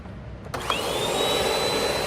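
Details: Bissell PowerLifter Swivel Pet upright vacuum, curb find left outside for a long time, first switch-on after shortening the frayed cord: silence, switch click, motor spins up fast to a steady roar with an even high whine; normal running.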